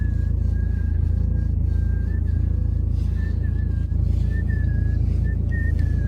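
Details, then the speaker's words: BMW 3 Series E90 in winter, cold car just entered with engine running: low engine rumble with a thin whistling squeak near two kilohertz coming and going from the steering column, gone when warm; suspected rubbing or hardened rubber seal. "В машине сейчас холодно, я только что сел, и такое бывает только когда в машине холодно."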